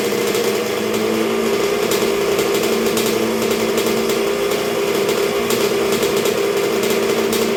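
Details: 1986 Honda CR125R two-stroke at first start and break-in after a new top end with a .060 over Wiseco piston, warming through heat cycles while idle is set: high, buzzy idle holding an even, steady pitch, no misses or knocks; healthy.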